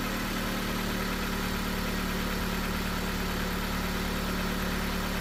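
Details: Jeep after fixing the relay problem and rewiring: engine catches and settles into a steady, even low idle with smooth rumble, no misses or knocks; normal idle.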